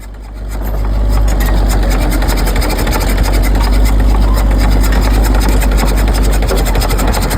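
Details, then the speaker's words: Military Caterpillar D4 (7J 8043) diesel, not running, towed in reverse by a D6 to push fuel through while bleeding. In the decompression state it gives a deep whoosh and chuff of about 2.5 beats a second, air blowing everywhere. No fuel yet at the top bleeder. "the noise you hear there is because the engine is in the decompression state so it's just Shing air all over the place"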